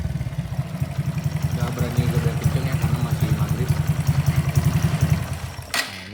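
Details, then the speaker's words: Honda Karisma-based motorcycle (C800 body), bored up to 148 cc with 56 mm piston and custom cam: steady idle putter, even pulses about three per second, no ticking or knocking; smooth healthy engine. "Enggak ngeletek ya teman-teman soalnya kan banyak juga yang ngeletek atau ada suara beletak-betak atau gimana nah ini halus enak dipakai juga tadi"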